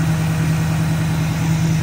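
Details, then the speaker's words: 1967 Chevrolet Camaro RS V8 with Magnaflow-type mufflers, warm idle with A/C compressor on: deep, even low-pitched chug with no misses, knocks or ticks; normal idle. "You hear that strong V8 just chugging away."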